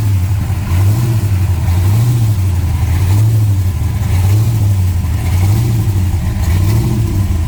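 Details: Restored 1966 Dodge Coronet, 440 block with Hemi heads built to 572, revved up and down about every 1.5 seconds. Deep, lumpy V8 firing cleanly on every blip; a healthy big block.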